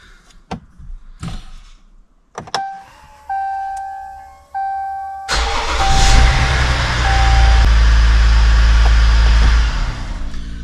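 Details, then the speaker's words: 2016 Ram 1500 3.0L EcoDiesel that had click-no-start from a loose starter ground: after tightening the starter battery cable nut, a few clicks and chimes, then a short crank and it fires first try into a steady even idle. Problem appears solved. "Looks like it fired up first try. So, uh, looks like problem solved."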